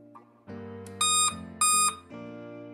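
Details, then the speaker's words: Dell Inspiron 15 laptop at power-on gives continuous sharp high beeping with no display output; RAM suspected as the usual cause, RAM and HDD replaced. "So nacheck natin yung problema guys continuous beeping tapos walang output usually kasi yung mga ganong klaseng problema yung mga continuous beeping ah madalas puro ano lang yan sa RAM lang may problema si sa RAM so automatic ito"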